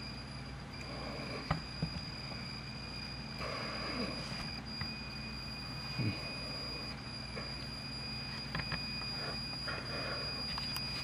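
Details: Pioneer CT-W840R cassette deck: faint thin high squeal steadily over the tape mechanism's quiet whir, likely a slipping drive belt, not confirmed; squeal.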